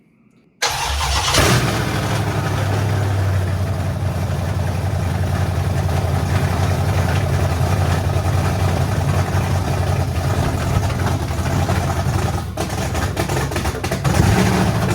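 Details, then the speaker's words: 1972 Dodge Charger Rallye with Gen 3 Hemi, fuel-injected, first start after fuel system pressurized; quick crank, clean catch, then steady, even deep idle with no knocks or misses; normal start and idle despite spilled transmission fluid. "all right maybe I didn't think that through enough just wanted to hear it run now I got to clean up all the uh transmission fluid that's Spilled Out all over the floor mom's not going to be too happy about that but runs sounds great"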